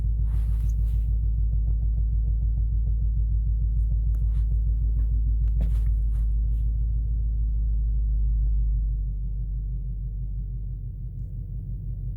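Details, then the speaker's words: Chrysler 300C idling after a part was moved to another cylinder to trace a misfire with no fault codes: a deep, lumpy, shaking idle with an uneven thump about three per second, seemingly worse. Spark plugs suspected, not confirmed. "So definitely still shaking a little bit, which is what I expected."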